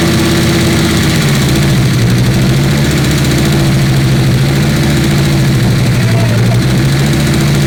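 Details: Volvo 850 T-5R five-cylinder freshly rebuilt, first run on 93 octane before 250-mile break-in, intake/intercooler pipe not yet fitted: low steady hum holding an even idle without misses or knocks; running smoothly.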